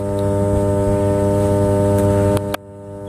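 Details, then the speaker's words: 33/11 kV power transformer in service: steady, unchanging low hum with an even buzz and no crackle or rattle, the normal humming of high-voltage power transformers. "इसकी आवाज़ जो है जिसे हम हमिंग कहते हैं, तो ये हाई वोल्टेज पर जो ट्रांसफार्मर कार्य करते हैं, पावर ट्रांसफार्मर, वो ऐसी ही आवाज़ करते"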